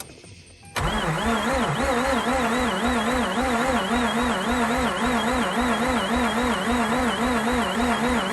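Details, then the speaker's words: Mazda RX8 rotary being cranked after fuel leak fix: steady cranking with a wavering whistle and a rotary scratchy sound, possibly pulleys or an engine bearing, cause unclear. "i'm hearing this whistle which is one and i'm hearing this rotary type of scratchy sound which can be just the pulleys and stuff rotating hopefully nothing worse"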